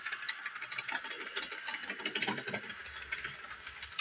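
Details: Repaired Bachmann Doodlebug model motor car rolling through 18-inch radius curve at full speed yet slow; fast uneven light clicking over thin motor whir, pointing to gearbox gear fault; owner suspects curve, unconfirmed.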